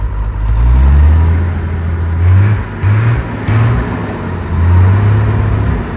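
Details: TK Bedford crane truck, Perkins 6354 six-cylinder diesel not run for 20+ years, after bleeding air from the fuel system: deep rumble, steady and even through a few throttle surges, no knocking or missing; running sweetly.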